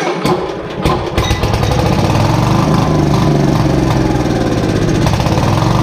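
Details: Briggs & Stratton 531cc engine on a Lincoln Electric Weldanpower welder, untouched for decades with a rusty tank: fires after sputters into a rough, uneven thrashing run on starting fluid; rough running after long storage.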